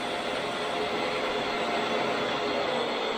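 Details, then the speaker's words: 1985 Grizzly G1021 15-inch planer with 2HP motor, just fitted with a V-helical cutterhead, running empty: smooth even hiss, no rumble or slap, far quieter than before (old noise possibly a bad bearing); cutterhead and bearings sound healthy. "wow they always talk about how spiral cutter heads are 10 times quieter I didn't even run material through that and that was at least 10 times quieter than what the machine was before"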